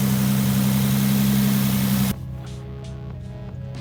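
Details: Nissan Altima coupe VQ35DE after valve cover replacement for oil in spark plug wells and throttle body cleaning: steady even engine drone with no misses or surging; earlier hesitation gone; normal idle.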